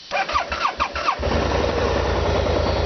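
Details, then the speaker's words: 2013 BMW C650GT scooter cold start, brake held: about four quick cranking pulses, then catches and settles into even, steady idle; normal cold start, quiet with foam-damped plastics. "This is a cold start, so it took a few turns. And of course BMW, all their plastics and stuff like that have sound dampening foam in it, so they want to make it as quiet as possible."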